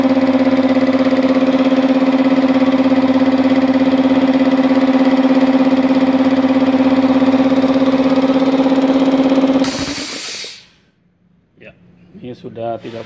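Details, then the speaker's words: Multipro 2 HP electric air compressor after repair of the leak under the pressure switch (packing debris cleaned out, refitted): steady, even piston hum at fixed pitch, no air hiss until shutoff; no longer leaking, running normally. "bocor ya sudah tidak bocor artinya sudah sembuh ini jadi kompresor listrik dari multipro"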